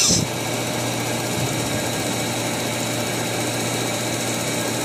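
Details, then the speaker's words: Perodua Kembara with HC engine, AC on: low flat idle that won't rise even with the idle screw opened fully and drops further as the engine warms, nearly stalling; faulty FICD idle-up valve or vacuum suspected. "dia punya RPM memang tiada perubahan BR dia masih rendah dia punya sudah hampir terlepas terlepas"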